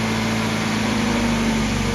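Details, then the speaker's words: Mazda MX5 idling after an oil flush and switch from 10W40 semi-synthetic to Mobil1 0W40 fully synthetic to cure ticking hydraulic lifters: a smooth, quiet, even idle with no valve ticking, and only the injectors now audible. "I can definitely say with absolute certainty that it sounds much quieter before I did this little project"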